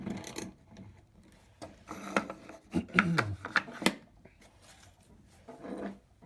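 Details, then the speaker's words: HT Armin hand coffee grinder in maple, 1945–1950, burrs adjusted to finest setting and just touching before grinding 7 g of beans: light, dry rasping in short bursts as handle turns, nothing catching or binding; normal burr contact. "So there we go, just touching, if you can hear that."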